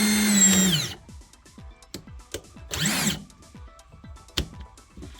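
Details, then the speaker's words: New Ridgid 18V SubCompact brushless 1/2-inch drill/driver (500 in-lb) free-running on a partly charged battery: short bursts of clean smooth high whine spinning up and winding down, handling clicks between; normal running. "Okay, so pretty cool. It's nice. I like the sound of it."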